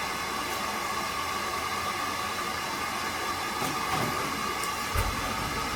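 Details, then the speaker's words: Buderus G115 triple-pass boiler, burner with cover off after long-overdue cleaning service: steady even roar with faint high hum, no pulsing or stumbling, louder uncovered; firing cleanly. "Yeah, see how much louder it is with the cover off? Oh, the difference."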